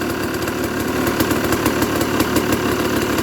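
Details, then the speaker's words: Used dirt bike inspection, single-cylinder idling on choke: with clutch lever released, a loose, irregular rattle of about three ticks a second from the clutch, not the engine; considered normal clutch noise. "Some crutches are louder than the others."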